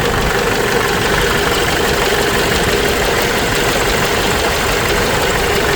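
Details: Case 586E Cummins 4BT diesel after teardown and new oil pickup tube: rough idle with hard clattering knock over the running beat; knock still there, cause unknown.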